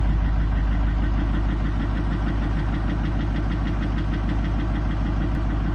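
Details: 2007 Chevy 3500 Silverado, 6.6L LMM Duramax diesel, parked at idle; deep heavy knock about three times a second under the idle rumble, from a spun crankshaft bearing.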